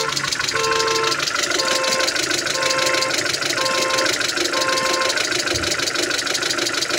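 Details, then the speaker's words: Proton Saga 1.3 FLX engine warming up with the radiator closed off: uneven pop about once a second at idle. Owner reports the engine misfiring; the mechanic plans to check it, cause not yet found. "owner cakap dia panik kentut-kentut. Ini engine dia panik miss. Itu kita mau cek juga tuh."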